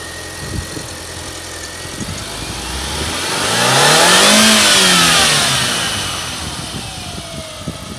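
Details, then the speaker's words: VAG 1.8 turbo petrol engine after replacing worn ignition coils and spark plugs to cure misfires and power loss: even idle and one clean rev that climbs and settles smoothly, rough idle gone. "okay as you can hear the rough idle is gone the engine is revving very good"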